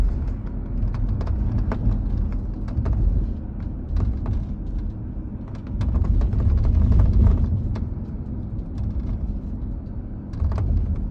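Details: 2022 Subaru Outback driving, irregular sharp ticks and rattles several a second from the roof over road rumble; roof rattle, possibly from roof beam separating from roof panel, not confirmed.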